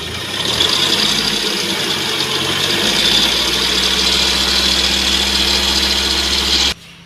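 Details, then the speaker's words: Mahindra XUV500 diesel at idle before repair: constant high chirping hiss over an uneven rattle from the worn fan belt and tensioner; bearings to be checked after belt removal. "तो दोस्तों इसमें जो है noise है fan belt और registry की है"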